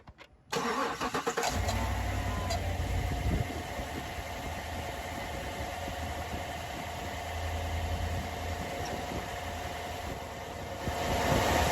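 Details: 2015 GMC Yukon Denali 6.2 V8 after thermostat replacement for P0128, fans staying on and AC not working; fires promptly, flares, settles to smooth steady idle, no ticks or misses; normal start and idle.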